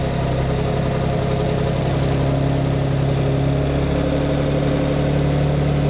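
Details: Lamborghini V12 with 12 carburetted cylinders, just started before tuning: deep idle with a slightly uneven lope, lumpy and unhappy. The carbs are out of balance, one admitting more air, mixture smelled rich; the inlets are then balanced.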